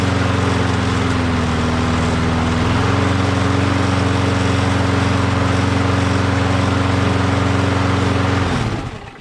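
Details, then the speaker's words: Mower stored about 6 months, primed a couple of times, starts right up; steady even drone after a brief speed change, no hunting or surging, shuts off cleanly; normal running. "As you saw, started right up, doesn't surge, runs very well."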